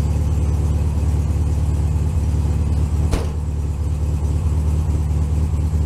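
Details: One of the owner's air-cooled VW Beetles (1967 or 1964) idling cold on a snowy morning around 15°F: a deep, even, low burble holding steady idle with no ticks, knocks or stumbles; a normal cold idle.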